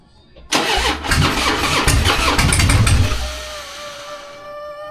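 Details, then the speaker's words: 2004 Harley-Davidson Fat Boy V-twin, 59,000 miles, first start after sitting over a year: starter whirrs briefly, then it catches with a loud lumpy burst and settles into an even, steady idle; healthy. "What do you think, man? Sounds very healthy. Sounds good, right?"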